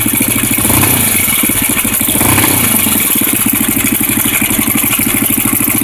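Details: Honda NX 250 at idle: quick, even metallic rattle pulsing several times a second over the exhaust beat; engine rattle, source not identified.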